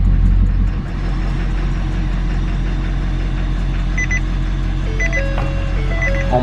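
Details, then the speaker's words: Diesel truck after gasoline misfuel, filters refilled with good diesel and primed, intake still off: deep, steady diesel idle settling right after starting, even without stumbling; normal idle. "also it seems like she's running good this was an all-day process but I think I think we're good to go"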